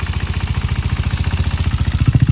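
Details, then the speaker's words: Salvage KTM Duke 390 during a rebuild, oil just topped off: a fast, even thumping of about fourteen beats a second over the idle, each beat with a hard knocking edge; the owner is unsure whether this is normal and the source is unknown. "Can you hear what I'm hearing? That knocking like sound and it's not going away."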